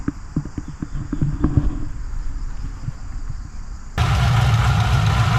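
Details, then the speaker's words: 2014 HSV VF GTS, supercharged LSA V8, 76,000 km, at idle: sewing-machine ticking from the injectors plus an uneven light rattle about four per second from the supercharger bearings and coupling; coupling previously replaced. "But if you can hear a rattling noise there, that's actually the bearings and the coupling that's making that noise."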